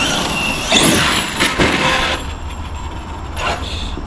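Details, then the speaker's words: Custom 100 mph Arrma Outcast RC car braking hard: loud rough burst with a quick sweeping whine; braking sounds unusually aggressive, owner wonders whether it's due to the extra power. "I wonder if it's just because this thing's more powerful, like if the braking sounds like that because of it. Because like with a lot of RC cars, they do make that when they're braking, but that's like really aggressive."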